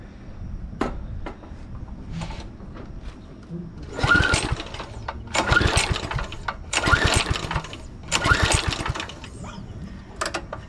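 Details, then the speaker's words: 2007 McLane reel mower small engine before the carb clean, recoil pulls during a compression test, reading about 70, likely through the decompression release. Four hard pulls turn it over but it never catches; cranking no-start. "Taking the choke off so there's full airflow. That's not real good. Well, correction. This is probably decompression release, so that is a little low."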